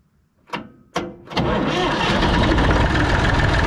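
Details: Massey Ferguson 245 three-cylinder diesel tractor, first start after sitting 12-15 years outside: three quick cranking bursts, then catches and settles into a steady even idle with no odd knocks; healthy normal diesel idle.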